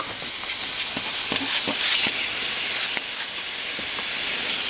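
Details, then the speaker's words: Intercooler piping pressure-tested with a homemade tester at about 12–12.5 psi: a sharp, continuous high-pitched hiss with small spurts from a leaking pipe joint; boost leak, o-ring needs changing. "we're at 12 pounds of boost 12.4 12.5 we're slowly creeping up and it's holding together we got some leeks you can hear it"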